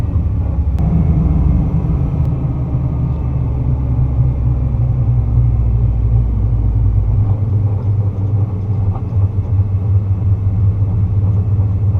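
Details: 2009 Nissan GT-R, original transmission with LC2, about 29k miles: deep, uneven shuddering rumble when coasting off throttle on engine braking around 15 mph between 1st and 2nd gear. It began after the bell housing TSB and main driveshaft replacement.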